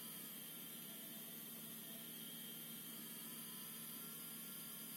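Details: ASUS Dual RTX 2060 SUPER EVO OC (DUAL-RTX2060S-O8G-EVO) graphics card under heavy gaming load (e.g. Metro Exodus): steady thin whistles at several fixed pitches with crackly hiss over fan noise, choke coil whine.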